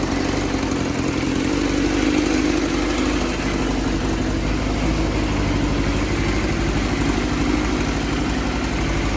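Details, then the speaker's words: Yamaha FZR400 project bike, first run after years sitting, fuel from auxiliary tank: uneven, slightly lumpy idle with busy low chatter; runs only on choke, won't run off it; coolant still to be topped up. "Okay, so status report Kalowski. It runs. It doesn't run off the choke."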